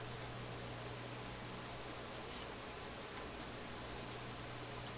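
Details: Philips F3C 30A console stereo receiver, with the B+ brought up after reconnecting a red wire while isolating a crackle and pop: only a soft even hiss with a faint hum, and no crackles. The output is quiet and clean.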